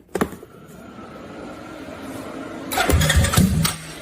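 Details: CFMoto CForce ATV after throttle set screw readjusted and locked with hot glue so it won't back out; short crank, catches and settles into a steady even idle with no misses or odd noises; normal idle.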